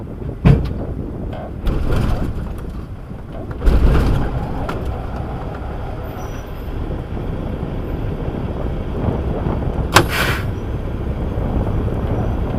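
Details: Diesel with a bad starter, pull-started and kept idling so it is not shut off: a low, steady diesel rumble with door clunks and an air hiss over it. The engine idles evenly.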